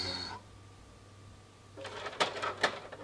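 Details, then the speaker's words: Flea-market PS3 with Modern Warfare 3 inserted: the eject button doesn't work and it cannot read Blu-rays. After a hum, irregular whirs and sharp clacks as the drive tries to spit the disc out, then swallows it back. "Et là, il veut le recracher, mais il le ravale. Non, il n'arrive pas à lire les Blu-ray."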